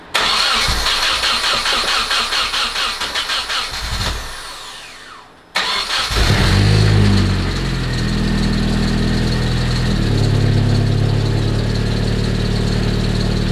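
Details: Rebuilt Nissan KA24DET, first start after the water line was fixed, in a cold garage: cranks evenly, catches on the second try, then settles into a steady, smooth idle with no knocks or misses; engine sounds healthy.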